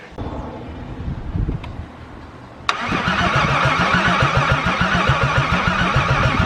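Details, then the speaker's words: VR6 cranks with an even starter churn, a brief catch, then steady cranking with no pickup; cranks but won't fire. Owner suspects no spark from a failed distributor, not confirmed. "so now i just got to figure out why it won't crank and i think now it is going to be because of it is not getting sparked"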